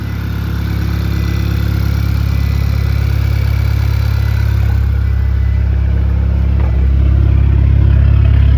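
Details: 2010 VW GTI, fourth start after engine rebuild, idling on nearly two-year-old fuel: loud low idle with a stumbling, dropped-cylinder beat; audible misfire at idle.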